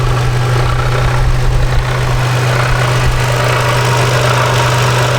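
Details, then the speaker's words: Toyota 4Runner after flex plate replacement, idling: loud steady idle with a low hum and a rough chattering rattle; same noise as before, so flex plate was not the cause, source still unknown. "the noise is back and it's the same exact noise that flex plate must have not been making any noise because we have this weird rattle still I don't know what it is"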